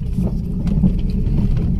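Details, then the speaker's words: Mazda2 driven over a rough road after replacing the damaged rear suspension rubber stopper that caused a banging "jeduk" sound: road rumble with only soft tyre thumps and no hard banging from the rear; suspension healthy. "Kayaknya sudah aman ini cash nggak ada suara berisik lagi ya"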